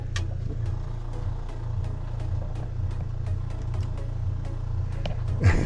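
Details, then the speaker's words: MacGregor 26X boat freshwater pump feeding the galley faucet: a steady low electric hum that never cycles off and builds no pressure, because the water tank valve was left closed. "well, something's not working. Okay, I figured it out. It's something simple. I had the valve for the water tank wasn't turned on."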